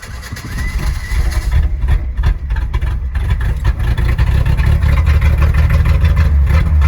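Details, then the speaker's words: 1986 Ford F150 Bullnose 300 inline-six, cold start in snow (about 40°F, cold oil) with battery hooked up and starting fluid in the carb: catches, revs, settles into deep steady even idle; healthy. "thank you gotta love it 300 is sitting there purring away"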